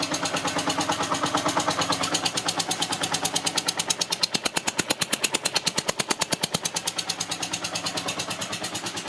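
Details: Yamaha TDM 850 4TX motorcycle engine: rapid, very regular sharp ticking, several per second, over a light engine hum; unexplained mechanical tick from the engine.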